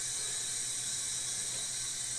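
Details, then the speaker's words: 1977 Dodge Monaco 360 V8 stored since 1989, leak-down test on a good cylinder: steady hiss of air unchanged when choke opened, escaping past piston rings into the crankcase, not intake or exhaust. "And that actually sounds like it's going by the rings and going into the oil system. See how it doesn't change note when I open the choke? It means it's not going by the intake."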